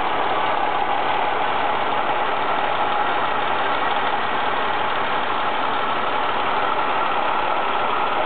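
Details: Ford ST220 engine at a steady, even idle after the TSB 24/2009 camshaft bearing cap repair; smooth mid-pitched hum with no rattle or tapping, as the earlier rattle has gone.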